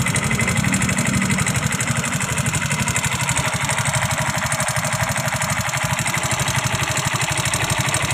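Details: Yamaha Fino scooter at idle: steady idle with a harsh, uneven thrashing over the beat, about three pulses a second; engine sounds rough, cause unclear.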